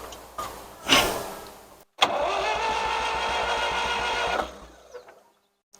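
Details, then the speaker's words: 1963–64 John Deere 1010W tractor after sitting 18 years, fuel present in tank: steady, even cranking for a couple of seconds with no catch or firing at all; no spark, later restored by adjustment. "Not getting any spark there."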